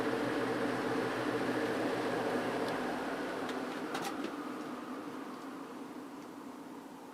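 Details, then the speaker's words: Vintage GE window ventilator fan coasting down from high speed after cleaning and oiling: a smooth, even whoosh fades slowly over several seconds with no rubbing, as the freed bearings let it spin down for a long time. "well I think you get the point it's taking a very long time to come to a stop so that's good that oil really really helped"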